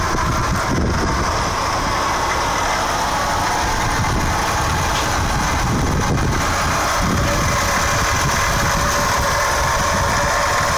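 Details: Mazda RX-8 rotary engine idling steadily with a buzzy, slightly uneven undertone beneath the hum; odd idle noise, cause unidentified.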